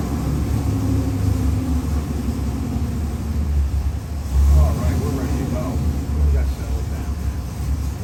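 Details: Ford 7.3L Godzilla crate engine with InnoV8 ITB stack injection, cast iron 6-bolt block, forged pistons, H-beam rods, Holley oil pan, destined for an AC Cobra replica, on run demo: deep steady V8 rumble with quick throttle blips rising and dropping cleanly; healthy running.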